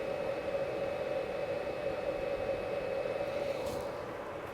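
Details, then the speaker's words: BLUETTI EB150 power station charger plugged into an inverter, mic next to it: loud steady fan whirr with constant mid hum and faint high whine, no rubbing or rattle; small built-in charger fan running normally. "I'll give you a listen to, it is quite loud, this charger. Not that that's really gonna bother me whatsoever, but just so you guys can hear it, because it does have a fan built in."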